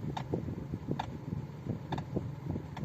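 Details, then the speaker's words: 2017 Suzuki Vitara Brezza with electric power steering: faint sharp "kut kut" clunks roughly every second when turning, steering also hard, owner unable to drive on highways; steering rack knock. "so this is a steering rack issue means the electric motor function inside this car you can hear the noise the steering also is hard"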